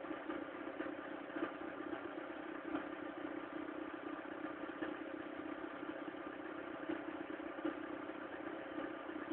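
Cold engine running steadily with a light, even clatter and a busy mid-pitch drone. Something sounds off, but the cause is unclear.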